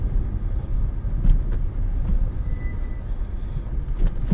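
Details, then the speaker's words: Peugeot 406 V6, first cold start of the morning after exhaust replacement; now quieter. Soft, deep rumble with no puffing, ticking or raspy blowing; exhaust sealed, normal cold start idle. "So obviously it's quieter now."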